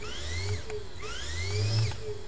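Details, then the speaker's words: DC shunt motor in a lab: low steady hum under a whooping whine sweeping upward twice as the motor speeds up; the expected speed rise, not a fault. "Whoa. Yeah. So that's what it's supposed to do, so don't get worried. So if you hear that noise and you don't know where the shutoff is, hit the deck, right?"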